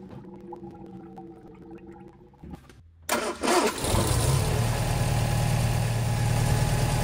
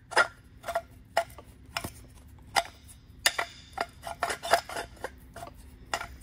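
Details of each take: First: Sunbeam Alpine Series IV, Borg Warner automatic, after water pump replacement and coolant refill: starter catches within a second, smooth, even idle with no knocks or squeal; pulley now stays in place. Normal start and idle. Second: Old water pump from a Series IV Sunbeam Alpine, shaft turned by hand: irregular dry scrapes and clicks, binding at spots, because the impeller is touching the pump housing.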